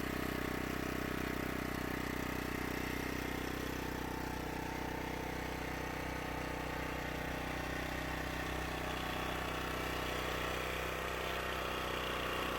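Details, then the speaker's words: Champion 1500 W peak, 1200 W running portable petrol generator, first start after about six years unused, powering a light; steady even hum, fast regular firing beat, no hunting or stumbling: normal running. "we are plugging in a light and the 150 receptacles let there be light and there was light the generator works"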